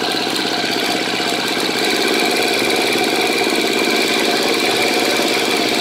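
Single-cylinder idle with a light, quick ticking of about three a second riding over the exhaust; a tick of unknown source, possibly the cam tensioner.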